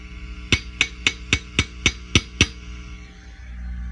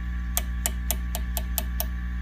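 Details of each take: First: Fender Custom Shop '57 Twin amp, harsh and noisy when overdriven: eight sharp tube taps ring through the speaker over a low hum; two microphonic preamp tubes are found bad. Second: Fender Custom Shop '57 Twin amp that sounded harsh when overdriven: tap test on a preamp tube gives seven dry, clean taps over steady amp hum, with no ringing or crackle. A normal, non-microphonic tube; two others proved microphonic.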